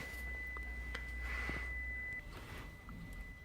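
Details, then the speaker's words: 2015 Toyota Prado seat belt warning buzzer stays on continuously with the passenger belt fastened; live data shows the buckle switch reading off. The cause was an open circuit in the passenger seat belt buckle switch. "that buzzer is for the seat belt uh warning so we're going to check at this stage we're going to check um the the SE seat belt um ble switch if it's detecting uh the status of the switch"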